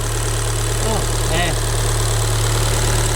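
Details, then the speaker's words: Accident-damaged Fiat Punto Abarth, not run for over a year: steady idle with a light, uneven clack about three per second at the top end. Traced to plastic pieces that fell inside the engine. "Il y a un bruit bizarre là. Mais elle fait clac clac cl."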